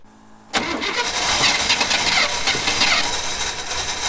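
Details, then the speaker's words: 1992 Chevy Silverado that sat 14 years, first start with fuel in the carburetor and fuel pump disconnected: catches almost instantly, then runs ragged and uneven with no steady idle; running rough. "well i'm pretty surprised i mean it pretty much started right away i mean it wasn't running very good but it was running"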